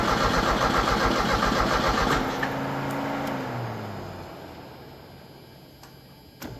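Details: 1986 Merkur XR4Ti 2.3 L Ford turbo donor engine, first test fire: starter chugs about two seconds then winds down without catching; cranks but won't start, later found flooding with too much fuel spraying.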